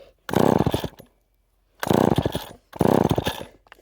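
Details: Rebuilt chainsaw, cold start after sitting unused, low on fuel, choke on then half choke: three short pull-cord bursts of rough coughing firing that die each time and never catch; hard starting, owner later tries brake cleaner.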